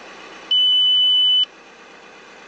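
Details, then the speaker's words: Audi A6 after replacing the brake fluid reservoir and level sensor: repeated high-pitched one-second beeps of the low brake fluid warning at start-up, confirming the new sensor detects low level. "See the brake fluid beeps. So, for now, it works with a low level."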